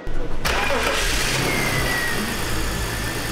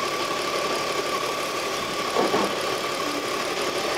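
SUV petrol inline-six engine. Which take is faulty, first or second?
second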